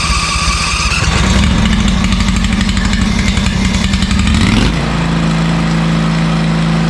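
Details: ZT200 mower with a newly fitted replacement engine: the small single-cylinder engine runs with a steady, even beat, settling to a smoother note partway through; sounds healthy.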